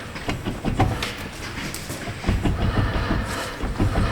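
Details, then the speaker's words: 2017 Hyundai Santa Fe front wheel rocked by hand gives irregular dull knocks about three a second, heard near the steering rack support; it also clunks when steering and over bumps. Steering rack suspected, with a Hyundai TSB fix; nearby ball joint play complicates diagnosis. "So you can hear that knocking up in there. This side's a little hard to tell because we have a ball joint as well, but it definitely sounds like it's right in that support area when we wiggle the wheel."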